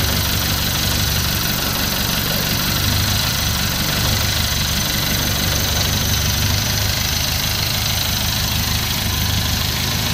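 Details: Newly assembled owner-type jeep diesel, brought in for hard starting and now fixed: it settles into a steady, even idle with a solid low rumble and no odd knocks or misses, running healthy.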